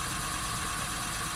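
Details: Polo Sedan, idling, microphone inside the cabin; the left front wheel raised and spinning evenly, with no bearing hum or drone. The right front wheel bearing hummed and needs replacing; the left bearing is normal.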